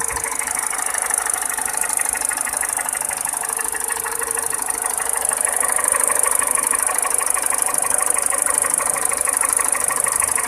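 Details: 207 petrol engine at steady idle: sharp, even clacking about three times a second; clatter of unknown cause.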